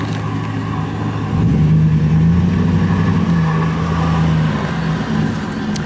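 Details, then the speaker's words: Truck engine drone while driving home loaded, a steady low hum rising for about three seconds then fading; owner suspects rear brakes need doing, unconfirmed. "funny thing the trucks making that funny kind of noise here let me demonstrate"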